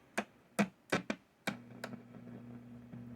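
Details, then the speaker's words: 1962 Gibson GA-5T Skylark tube amp, reassembled with a Jensen speaker and what is probably the original pot: irregular sharp pops and crackles then a steady low hum; the cause is unknown yet, possibly the pot. "so i put it all back together again with the jensen and now i'm getting static i haven't played it yet but"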